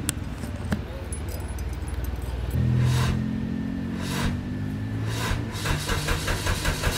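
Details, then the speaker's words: Lotus Elise Cup 250 during service, engine started after adding Mannol motor flush before oil change: about two and a half seconds of sluggish, churning cranking before catching and idling; mechanic suspects the starter needs servicing or replacement. "Dia punya starter tu rasa macam nak kena servis ataupun tukar baru kot."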